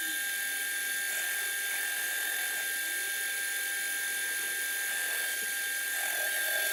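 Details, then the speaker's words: Lathe with a faceplate-mounted 6-inch aluminium pulley for a Gingery milling machine spindle drive, during cutting: steady high-pitched ringing whine through the whole cut, no low rumble; vibration and chatter in the setup. "As you can hear, there's some vibration going on through this setup also."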